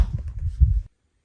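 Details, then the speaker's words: Door swings after all three hinge pins were greased with white lithium grease instead of graphite: only soft low thumps, no squeak or creak, the door now fully quiet. "wow I don't hear anything at all that door is absolutely quiet now great we now have a door that is no longer squeaking"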